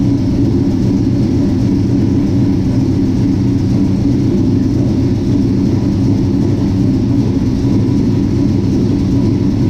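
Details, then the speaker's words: 1967 Chevy C10 V8 with Holley Sniper fuel injection, just finished and started for the first time in a long while: even, deep rumble, steady beat, no misses, ticks or knocks; starts and runs well, normal. "Man, that thing starts good and sounds good running."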